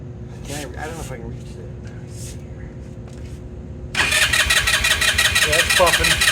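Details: 2018 Lance Cali Classic 125cc scooter, found not running with mice in the airbox, cranking on a Harbor Freight lithium jump pack; steady cranking about three turns a second with weak puffs, never catches. Carburetor to be removed and cleaned.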